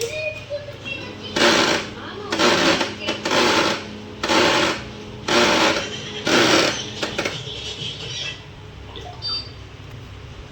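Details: Canon LBP2900 laser printer running with loud, harsh grinding bursts about once a second from the motor gears.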